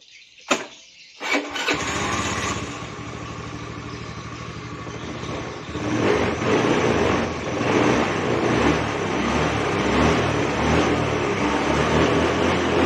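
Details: Fuel-injected motorcycle that stumbled on initial throttle, run with the fuel pump bypassed on an external feed at about 40–43 psi; starter whirs briefly, catches within two seconds, settles into steady idle and picks up cleanly, pointing to the fuel pump or its regulator.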